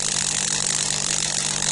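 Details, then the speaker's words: Delonghi EC270 espresso machine, first run after disassembly, vibration pump with non-original hand-cut replacement spring: harsh steady buzz with low mains hum, unchanging, louder than before, no water flow; spring later found too stiff for the pump. "Voilà, le truc, elle faisait plus de bruit, en fait, c'est ça qui fait le bruit."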